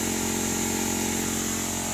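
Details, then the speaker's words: Well system with bladder/pressure tank, pump off, air compressor pushing water out of the tank: steady high whistle above the compressor's constant drone as air rushes through the pressure tank while purging. "you can hear the tank you can hear it just having the hard whistle sound I know it's kind of loud over the compressor a Little Closer"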